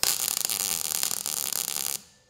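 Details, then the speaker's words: Lincoln Electric 180 Dual MIG welder tacking with about a quarter inch of wire stickout: crackling, uneven, jumping arc instead of a clear crisp tone; erratic arc from incorrect settings. "you can hear how that's jumping that means that we're not on our correct settings"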